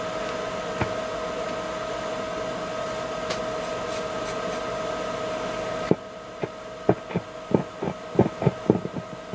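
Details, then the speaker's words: Hallicrafters S53A receiver full of paper wax capacitors: steady mid-pitched hum with little signal then scattered clicks; band B dead, other bands working but very weak; cause not confirmed. "So B&B is the only band that's not working, and the rest of the bands are working but are real low."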